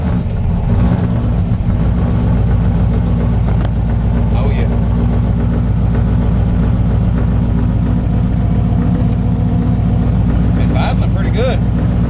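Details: Cold idle on a truck's newly installed 481 V8, on a cool day: deep, steady burble at an even idle with no misses or knocks. Shortly after, it sounded fuel-starved, with low fuel pressure and the front carburetor flooding. Normal cold idle.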